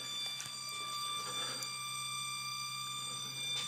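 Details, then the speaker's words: 1977 Camaro Z28, after cold start: a steady, piercing high-pitched squeal over a quiet engine, holding its pitch, only at higher RPM; source unknown to the owner, no leaks, coolant overflow worked. "so there's a bit of a squeal coming from the engine I don't know what it is I don't like it um but it only does it at higher RPM so we'll have to see what that's on all about"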